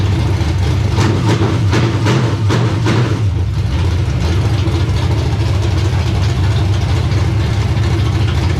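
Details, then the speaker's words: Carbureted race car V8, first start after install: deep, steady rumble at idle settling into an even beat with no knocks or stumbles; running properly, though it starts only sometimes. "sounds pretty good yeah that sounds pretty good"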